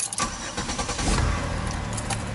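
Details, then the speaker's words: 2007 Chevy Impala LT cranks unevenly and catches with a ragged, sputtering note before settling. The owner wonders whether the battery is going, but that is not confirmed: a hesitant, sputtering start. "it sounds like it's trying to sputter I don't know if that battery's going or what"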